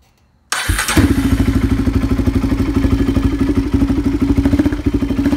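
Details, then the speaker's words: 2006 Predator four-wheeler project; engine fires right up and holds an even, thumping single-cylinder beat of roughly three pulses a second with no knocks; runs healthy. "so yeah it's a pretty decent four-wheeler guys thank does run good here"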